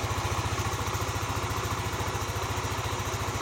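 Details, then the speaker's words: Yamaha NMAX 155 (old model) after fixing code 61: ISC spring added; even, steady putter at settled idle with no hunting, surging or misses — idle normal. "Nah langsam sudah normal kemudian eh sudah standar"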